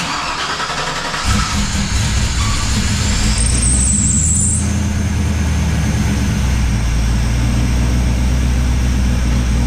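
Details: Chevy C10 with newly installed Summit stage 3 cam and spring kit, high ram intake and 55 lb injectors with updated tune: brief crank, catches after about a second, then a choppy, loping idle from the big cam.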